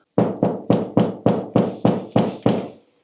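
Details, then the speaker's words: Mountain bike after fitting an anti-rattle system to the brake hose: nine clean thumps about three a second as the bike is bounced, each dying fast with no buzz or clatter; no brake hose rattle. "Klapperfrei."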